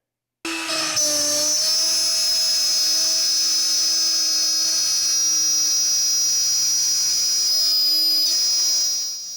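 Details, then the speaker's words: Shapeoko Pro CNC router cutting wood with a 1/8 inch bit run at quarter-inch bit feeds and speeds in a bit-abuse test: steady high spindle whine and even cutting hiss, no straining; it could have cut deeper and faster. Normal cutting sound. "We probably could have cut a little deeper and got a little faster and had no problem at all with the 1/8 inch. So, this test looks good to me."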